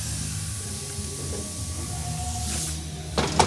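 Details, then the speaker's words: 2007 Mercedes-Benz CLS AMG, car jacked up: faint steady hiss of air escaping from the tread, then clunks; nail puncture found on top of tread, patchable. "Oh yeah, something. Big hole. There it is. Nail come out. We found it."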